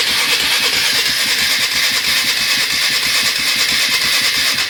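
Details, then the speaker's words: 1996 Polaris Marauder 425 4x4, neglected, on reserve tank with choke and ignition on: steady starter churning about three beats a second that never catches. Crank, no start; owner suspects the starter solenoid and notes no fuel in the fuel filter. "I think that solenoid is not feeling too hot, but also I don't see any fuel in the fuel filter, so that might be bad."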